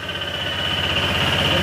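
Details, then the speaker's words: Honda ADV160 scooter at 24,941 km that was using oil, not ridden since the noise began. A steady, high cricket-like chirp rides over the fast-running engine throughout; the mechanic says it is not the tensioner. Connecting rod knock. "Kaya patayin na natin kasi simula nung narinig yung tunog na yan ni sir, hindi na ginamit yung motor. Kapag ganyan ang problema ay matik, connecting rod."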